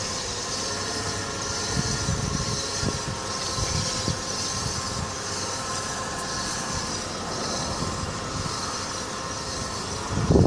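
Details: Nissan Altima Coupe after replacing the front driver-side wheel hub: a high, thin metallic squeal and scrape holds steadily as the wheel turns. The brake heat/dust shield was hitting the rotor and was removed.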